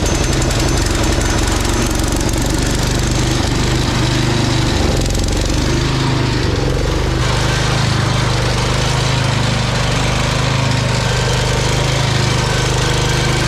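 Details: Old Cub Cadet garden tractor, 10 hp Kohler engine, after carb clean and fresh fuel replacing very old fuel: steady even low thrum with no misses or surging; runs cleanly now.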